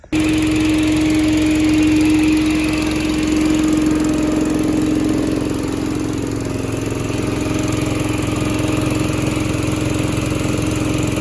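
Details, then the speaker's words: Little Wonder 13 HP Honda-powered leaf blower after repair and a new spark plug replacing a fouled one; carb still needs work. Steady, even running with smooth fan rush and no banging; normal running. "There she is. All right. No more noise. No more anything."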